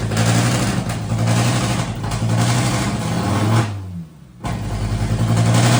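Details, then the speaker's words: MK1 VW Rabbit with a freshly swapped 07K 2.5L five-cylinder, just started: runs rough and lumpy, sags almost to stalling, then catches and picks back up. A large vacuum leak is suspected. Hanging idle and surging. "It sounds like it has a giant vacuum leak. Yeah, it's like cuz cuz it dies and then it like comes back."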